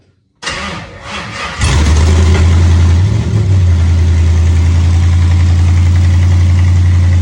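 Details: LS-swapped 1967 Camaro cold start after sitting about four months, primed a couple of times; brief cranking, a couple of coughs, then it catches into a strong even idle, healthy.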